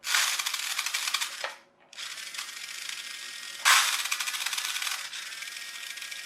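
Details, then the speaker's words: Chicco Jimmy Thunder toy RC car in hobby-grade conversion: bursts of rapid dry plastic clicking as the motor loads up with the wheels' flywheel effect; the gearbox slip clutch slips too easily, possibly reduced tension from melted plastic. "and that stops the gears breaking but it's actually no good to us because it's slipping"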